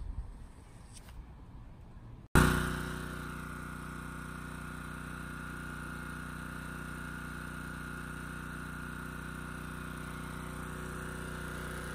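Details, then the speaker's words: Honda EG2200X generator, early-to-mid 1990s, previously running rich at no load despite new carburetor: starts at once, smooth constant hum, no misses or hunting. "it solved the issue it's running pretty much perfectly under no-load now"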